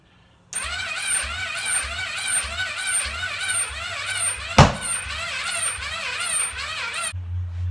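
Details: Rebuilt motor on a Yamaha-engined cart, cranked on the old battery (attempt three) with a borrowed used coil fitted: the starter churns evenly and fast for about seven seconds but never catches. Cause not confirmed.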